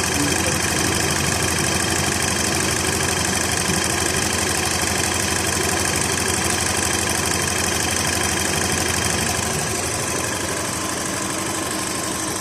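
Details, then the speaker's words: VW Golf/Jetta Mk5 2.0 FSI after timing chain replacement and brittle leaking pipe replaced: smooth even idle with light fast steady tick, no chain rattle or slap; chain no longer noisy, repair successful. "I'm not sure if you can hear right now but the chain is no longer wrting like it used to I'm just going to put it before and after video then you can hear for yourself this is the after"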